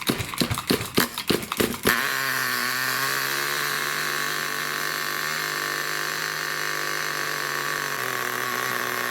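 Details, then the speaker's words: New nitro RC engine during run-in, after tightening a loose glow plug following failed starts: sharp starting bursts then steady high buzzing run with no misses, very loud with heavy smoke; normal running. "okay so we're just outside my recording area right now and as you can hear nitros are really bloody loud"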